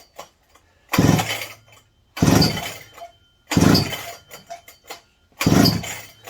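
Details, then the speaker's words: McCulloch 790 MC101 chainsaw with new carburetor: fires in ragged bursts, hitting and missing under heavy load without proper spark; the new spark plug was found bad, and a borrowed plug fixed it. "It's not a consistent running, but ignition sounding now. Like it's hitting and missing, but under heavy load, it's not giving proper spark."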